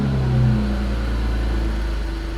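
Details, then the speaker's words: BMW E46 330i after installing a new intake manifold and CCV assembly: deep, uneven rumble with the idle hunting instead of settling; running rough with a fault code returning, cause not yet found. "so it still doesn't sound great [Music] oh my God that sounds [Music] awful"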